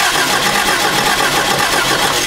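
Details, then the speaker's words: 1994 Toyota Celica: steady starter cranking that never catches. Cranks but won't start; a test light air-gap check at the plug boot confirms no spark. "okay no spark there at all it really should spark pretty much all the way to the end of this boot there's no spark"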